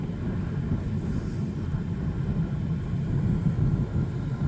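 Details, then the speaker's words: 2012 Chevy Cruze 1.4L turbo with low-mileage replacement engine, driving: even low rumble with steady road noise, no knocks, ticks or whine; smooth engine pulling cleanly with strong power. "but it's very very smooth smooth driving vehicle"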